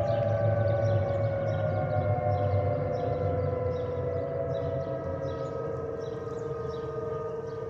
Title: Delta Airlines Airbus A320-212 N351NW DL2689 RDU-DTW (FOPP whistling sound) (Stabilized) (5-11-2023)